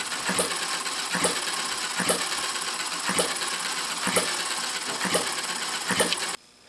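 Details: Retrol HM-01 7cc four-stroke horizontal hit-and-miss model engine, electric-started: sharp, crisp pops about once a second, evenly spaced with coasting between firings, then it stops; normal hit-and-miss running.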